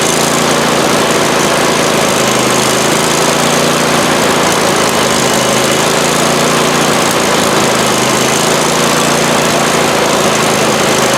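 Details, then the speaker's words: Abandoned 48-inch Husqvarna mower engine revived, idling with a steady but uneven, slightly lumpy drone; runs but rough, cause unclear. "well it runs not the greatest but it actually runs sweet"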